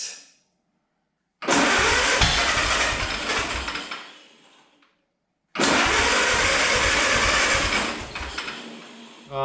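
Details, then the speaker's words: 1929 Ford Model A chassis, first start attempt with fuel turned on and ignition wire connected: two cranking bursts briefly catch and sputter unevenly, then die; rough misfiring start, owner suspects weak or intermittent spark from distributor. "H that sounded promising yikes"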